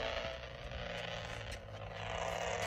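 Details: Handheld radio on 144 MHz AM with Yagi: a harsh, raspy buzz with low hum from an arcing SoCalEd lightning arrester on a power pole, causing RFI.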